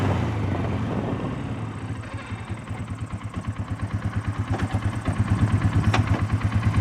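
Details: 2012 Polaris Sportsman 500 H.O. single-cylinder ATV, 3 days old, ridden only around the yard: steady low knock at idle (CVT clutch noise, thought normal), plus a harder, deeper knock under load; piston or rod slap suspected, not confirmed.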